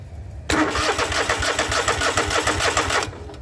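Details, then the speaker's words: John Deere that wouldn't start. With battery positive jumped straight to the switch post, the starter turns the engine with a brisk, even chug about three pulses a second. Cranking is normal; the power wire feeding the switch is suspected faulty. "Now we're back in business and our engine is turning"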